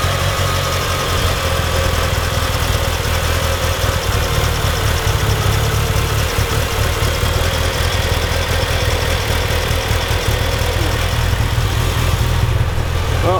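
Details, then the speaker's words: Mitsubishi EVO first real startup after fuel pump hanger wiring harness work, no air filter fitted: low lumpy idle with uneven pulsing, shaky firing that never settles; rough idle smelling very rich, yet revs smooth to about 4,000 rpm; cause not found. "Okay, so good news is it starts, it holds idle, but it's just a very rough idle for some reason."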